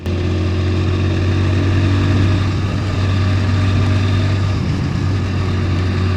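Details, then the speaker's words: 27-year-old Hero Honda Splendor Plus tested on E20 ethanol, recorder near silencer, under throttle: deep, even exhaust drone, no popping, stumbling or missed beats; no jerking, no misfire. "अब आप लोग आवाज सुन रहे होंगे कि कहीं से भी आपको ऐसा नहीं लग रहा होगा कि जैसे यह मोटरसाइकिल कहीं से झटका ले रही है। तो आपने आवाज सुन ली कि मेरी मोटरसाइकिल कहीं से झटका नहीं ले रही है।"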